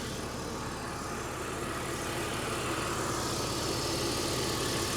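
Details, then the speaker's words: 2004 BMW Z4 2.5i straight six, engine bay: even, steady idle with a smooth hum and no ticks, knocks or misses; no leaks or smoke, green coolant, sounds great; normal idle. "coolant green coolant she sounds great this would be a great car to buy"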